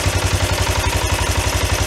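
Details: 1993 Yamaha Riva 125 scooter just started after fitting a cheap GY6-type replacement carburetor: small single-cylinder chugging at a steady, even idle with regular firing and no misses; normal idle.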